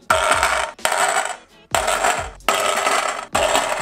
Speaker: now whenever you hear this sound it's the wheels the Moto pretty much like the loudest sound that you ever hear on a scooter its wheels all you need to do to fix this is check your front and